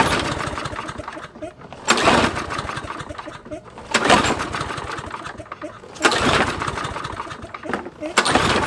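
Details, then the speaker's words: Nearly new discarded Toro mower, oil topped up, fresh fuel added, slightly dirty filter: about ten hard pull-cord rips roughly every two seconds, engine spins but never catches; no fuel getting through the carburetor, to be tested with carb cleaner. "all right so after like 10 hard pulls i am determined that there is no fuel being allowed to go through the carburetor for it to start correctly"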